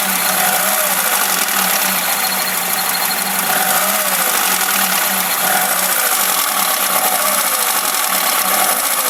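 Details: VAZ Classic (Lada) engine, timing chain tensioned and valves adjusted: a light knock returns each time the revs drop off the throttle, about once a second, and is barely audible once warmed to operating temperature; cause not identified.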